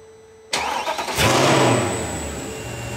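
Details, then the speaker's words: Mercedes C63 with replacement engine, cold start; quick crank, catches and flares briefly, then settles into a soft, even, very quiet idle running a little rich; fan on from air conditioning; healthy cold start. "It's running a little rich right now. It's a cold start."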